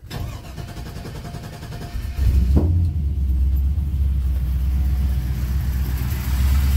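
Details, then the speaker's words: LS V8 on engine stand for C10 swap, Holley Terminator X management: cranks and catches into a lumpy, stumbling idle, running on six cylinders from two loose spark plug wires; fixed, then fired on all eight. "what it was when i just fired it i had two loose sparkle wires"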